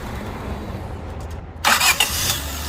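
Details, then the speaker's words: Honda Civic 1.7L after re-crimping the S terminal: clean start with no grinding or dragging crank, the engine firing straight into an even idle; starter sounds slightly different, possibly a different brand; normal start and idle. "Well guys, it sounds okay to me. It looks like it's a fix. Sounds decent when you start that starter."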